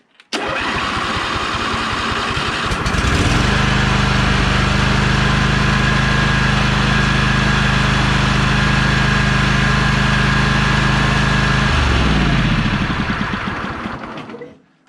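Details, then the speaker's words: 2004 John Deere L120 mower, 20 HP Briggs & Stratton V-twin, after replacing the failed original starter; starter spins quickly and evenly, engine fires within a second and holds steady idle, starter engaging properly. "that sounds healthy let's try it one more time here"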